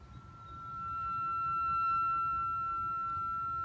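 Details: 2013 Subaru Impreza rear rotor turned by hand with pads and caliper removed: clean steady high-pitched squeal, likely parking brake shoes rubbing inside.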